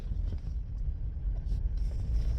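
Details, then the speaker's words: Car with front-end noise when turning right, after front brake pads were replaced on both sides, test drive while turning. Only a low, even road rumble with no squeak or squeal; the noise is gone. "The noise that I would hear when turning to the right is gone."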